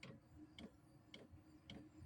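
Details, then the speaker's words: Diesel heater at its first start of the year, lit and burning off dust: crisp, evenly spaced ticks about twice a second over a quiet burner hum, possibly the fuel pump kicking on; normal running. "maybe that's the pump kicking on as the pump starts going more starts it'll start blowing faster"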